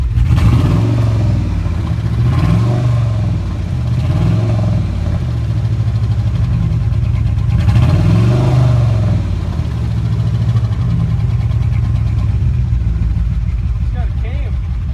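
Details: 2000 Dodge Durango 4.7 V8 idling and blipped: deep uneven knocking under the engine note; owner reports a blown piston ring and suspects rod knock, engine being swapped for a built 4.7.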